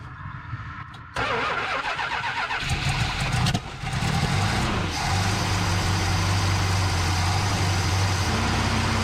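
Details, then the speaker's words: 1971 Plymouth Satellite barn find, with year-old gas and fresh AV gas added. Catches after a few uneven cranks, kicks back, stumbles and surges, then settles to a lumpy, unsteady idle. Suspected bad gas, needs a tune-up, timing off; unconfirmed. "why is it uh kicking back like that he was correct in the fact that it definitely needs a tune up"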